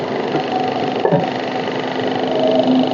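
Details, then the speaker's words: Maruti Suzuki Baleno RS Boosterjet engine running, steady airy hiss from the engine side over the idle; a vacuum pipe that had come off is leaking air. "आवाज सुना देता हूं आपको ये noise जो ए रही है basically हमारी जो है इसके सेपिड साइड से ए रही है"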